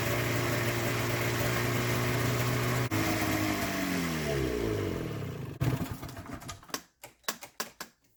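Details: Polaris two-stroke snowmobile with new fuel pump, plugs only hand tight, ran better on one carb: runs steady and buzzy for several seconds, pitch sags, then dies with slowing pops.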